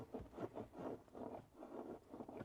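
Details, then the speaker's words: NA Mazda Miata throttle cable: gritty, dry rasping with each push and release of the pedal, which sometimes springs back and sometimes sticks; the cable is binding against the carpet and hinge and probably needs replacing. "yeah that's the cable and all the way down some see sometimes it Springs back up other times it stops for a second so this is a problem I'm probably gonna have to get a new cable"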